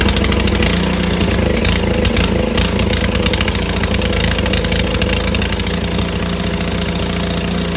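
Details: Neighbor's snowblower started after a tune-up, having sat in the garage a couple of weeks: single-cylinder engine runs steady and even with a low throb, no misfire or stumble, so the tune-up looks good.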